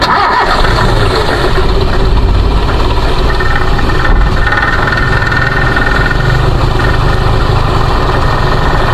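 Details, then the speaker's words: 1994 Toyota Kijang Grand Extra KF40 1.5 petrol: it starts and settles into an even, smooth idle with no stumble or misfire, and no sign of a worn engine. "Stasionernya ini masih langsam bagus, masih baik, tidak berbet atau tidak pincang. Kemudian suaranya juga masih halus, tidak ada ciri-ciri suara mesin yang sudah aus atau perlu diganti."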